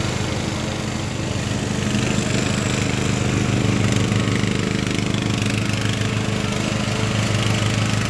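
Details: Craftsman LT1000 riding mower with swapped-in Briggs & Stratton engine, warmed up after a week unused, test-mowing tall grass with unsharpened blades: steady, even single-cylinder drone holds speed through the cut, no misses or surging; runs healthy under load.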